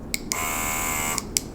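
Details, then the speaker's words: Small airbrush compressor with auto-stop runs only while the trigger is pressed: a high, even whine for about a second between clicks, starting and stopping cleanly; normal compressor run. "그래서 얘를 이렇게 해서 지금 켜놓은 상태에서 스위치를 누르면은 내가 이 누를 때만, 이 트리거를 누를 때만 공기가 나오고 이 컴프레셔가 움직이는 거예요."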